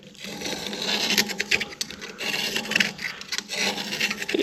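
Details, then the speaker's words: Old tractor long parked, battery terminal being scraped: gritty, sandy, crunchy scraping strokes instead of silent cutting of clean lead; hard scale buildup that a brush cannot remove and must be cut out. "there's buildup that gets in these things that you can't brush out. Now, you'll hear this. This sounds like almost sandy and crunchy."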